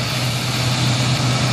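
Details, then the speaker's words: Lincoln Town Car / Ford Crown Vic 4.6 running after its bad PCM was replaced with a junkyard unit: steady, low, even idle hum with no misses, knocks or ticks. Normal idle. "But you see, I got it running, man."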